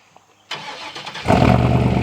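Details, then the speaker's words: 2007 Chevy 2500 work truck after new Flowmaster FX exhaust replaced old rattling system: quiet, then starter catches and engine settles into deep, even rumble with no exhaust rattles, revved; sounds good. "oh oh yeah sounds mean when you crank him up Rev him up"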